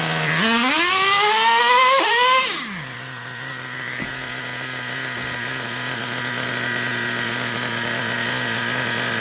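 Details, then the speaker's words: Traxxas Revo 3.3 nitro engine with the carburetor needle returned to its original setting: revs sharply twice, drops cleanly, then holds a steady, even high-pitched idle like at the start. Normal idle, may need slight tweaking. "I may be off a little bit, but you see the idle, about like it was in the beginning, right?"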